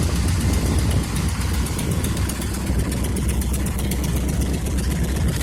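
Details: 1976 Ford F100 at idle with a rapid, sharp puffing tick over the low rumble, the chuff of an exhaust leak; rusty truck.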